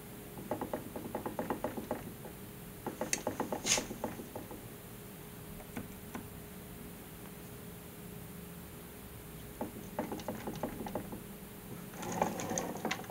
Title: Crank rattling noise